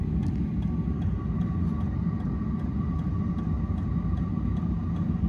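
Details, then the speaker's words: Diesel workshop heater running after startup on a low battery: soft, steady combustion roar with light, regular fuel-pump ticks a couple per second; burning properly, with warm air soon at the outlet. "I'm going to plug a battery charger into that as soon as I can that'll keep it topped up but that definitely sounds like it's running"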